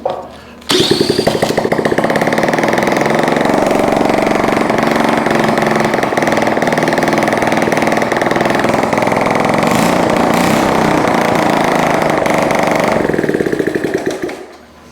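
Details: Honda ST70 first start in years after top-end engine rebuild, wiring repair and a swapped CT70 carburetor, electric starter; fires right up and runs a steady, even putt-putt at fast idle; healthy.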